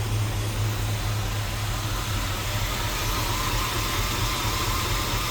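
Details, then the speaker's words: Squarebody Chevrolet C10 with LS V8 swap, first run after swap, good fuel pressure on scanner: after revving the V8 settles into a slow steady rumble, idle RPM a little low; scanner shows misfire and engine speed output circuit codes, cause unknown. "RPM seem a little low not sure what's going on with that"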